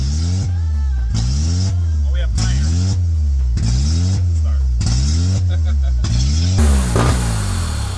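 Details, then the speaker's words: K24-swapped Honda Civic, started after repinning the immobilizer and swapping crank-position-related connectors: idle surges and dips about every half second; rough hunting idle. "Sounds like it's on all 4 cylinders. Obviously, it's doing some sort of rough idle."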